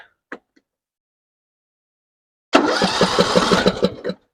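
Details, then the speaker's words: 6-year-old John Deere 100 series lawn tractor, battery terminals just tightened on a year-old battery, little gas in the tank: starter chugs about three beats a second but never fires. "all right turns over I don't even know if we got gas yeah you have no gas iner so take care of that"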